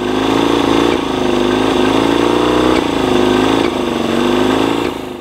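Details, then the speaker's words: Yamaha 20 HP two-stroke outboard after idle timing set to just over 6° ATDC (spec 7 ±1°): uneven idle pulsing about four times a second with stumbles, pops and backfiring; owner suspects a lean condition. "So within that 7 plus or minus 1 degree range, still backfiring and popping a bit. So I've got a feeling it's probably more a lean condition"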